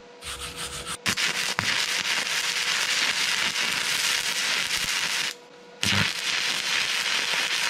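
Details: Vevor MIG-250 stick welding at about 95 A after 60 A failed to strike: a steady crackling, frying sizzle with a brief break mid-run, the arc burning evenly and acceptably at this current.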